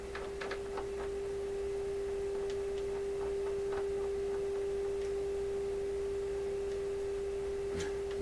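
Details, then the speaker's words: Deforest Crosley shortwave radio with no output, signal generator feeding an IF signal in: clean steady mid-pitched modulated tone over faint clicks heard from the detector stage, so the detector works. "This is telling us feed in an IF signal and the radio can detect it because we're hearing the modulated version of the signal I'm feeding in."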